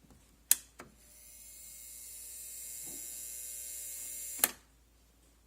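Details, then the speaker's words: Quad 44 preamplifier after installing an upgrade kit: click at switch-on, steady high hiss with a faint thin whine until switch-off click; source unknown, owner suspects something wired incorrectly. "I've got this thing all assembled and now when I power it up I'm getting a whining noise and I'd like to record it here"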